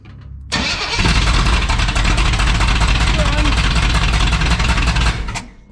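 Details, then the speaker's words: 1962 Impala 350 V8 running through an open header on at least one side: catches quickly, then a loud, uneven, lumpy run; ignition timing about two teeth off, and the valves also need adjusting. "My timing was way off. I'm probably about 2 teeth over from where I want to be. It sounds like crap at the moment."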